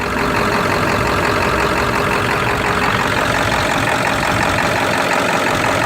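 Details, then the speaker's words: 1999 Ford F-250 with 7.3 diesel at idle: loud idle with an uneven, lumpy beat of about two pulses a second and shaking, which stops when the feeder valve is opened and returns when it is closed; cause unknown. "I got a problem. This thing is running rough, and the thing is, when I open the feeder valve, see, it's not shaking no more."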